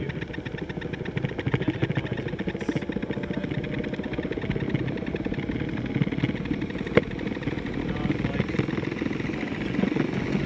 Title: Strange noise backfire g2t